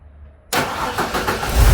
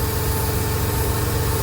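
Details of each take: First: 1999 Ford Econoline 4.9L inline-6 that stalled at idle, with MAP sensor reading within spec and vacuum line connected: short crank, catches cleanly, settles into smooth steady idle with no hunting; normal idle. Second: 1999 Ford Econoline 4.9 inline-six commercial van, stalls at idle but drives, no check engine light, vacuum readings abnormal: low, lumpy, uneven idle without clean rhythm, a stumbling rough idle from a faulty MAP sensor.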